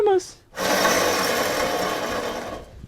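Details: Worn wheel bearing (balero) from a rusty pickup, louder on the driver's side: removed hub turned by hand gives steady, rough, gritty grinding; it caused a rumble while driving, and the new bearing is silent with more resistance.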